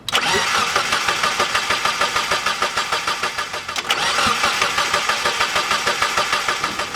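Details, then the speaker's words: VVT engine with shaved cylinder head for higher compression, new fuel filter, first start attempt after a long time: two long starter bursts of even compression pulses, about three a second, but it never catches; crank no-start. "Alright, what did I forget to plug in? I think we're good. It's probably just because it's been so long since it's fired up."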